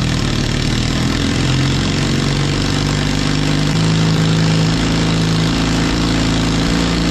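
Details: 1939 Caterpillar D4 with D4400 diesel, after injector setting and testing, break-in stack fitted: deep, steady chuffing at idle, strong and even with a slight occasional pop; one injector seeping slightly, stack clean; normal diesel idle.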